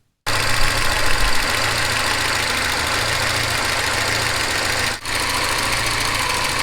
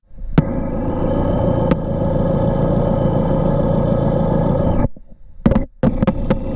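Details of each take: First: Porsche 944 at idle, scanning the camshaft housing after fresh oil and filter change: fast even light ticking over steady idle hum, evenly across all valves; hydraulic lifter tick, lifter two now less distinct, cause unconfirmed. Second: Porsche 944 engine, listening along the base of the oil pan: steady even hum, no rhythmic knocking, no variance across the four cylinders; healthy bottom end, though some driveline bearing noise (pilot or torque tube bearing) noted.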